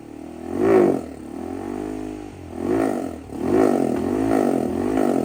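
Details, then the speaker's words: 2007 Honda 400EX single-cylinder ATV that dies out when the throttle opens; needle clip moved from third to second position with little change. Revs rise then sag and falter, a full-throttle bog blamed on the rich 155 main jet, swapped for a 120. "all right guys so since messing with the needle wasn't really doing a whole lot I went ahead and swapped in a uh a 120 Main Jet it's a lot smaller obviously the 158 that's in it right now 15 155 rather but it's the only size I had"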